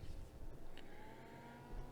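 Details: Replacement Noctua 80 mm fan in an eight-year-old MFJ-4225MV switching power supply, wired on red and black only, not yet mounted: spins up quietly with a low steady hum and faint even whine, replacing the original noisy fan.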